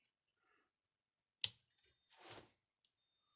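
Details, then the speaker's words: Gallagher S17 electric fence charger after repair of a shorted capacitor: two sharp quiet clicks about 1.4 s apart with a faint high whine, normal pulse clicking, no longer arcing inside, much quieter than before. "See how much quieter it is? It's not arcing on the inside, but it is clicking, which it's supposed to."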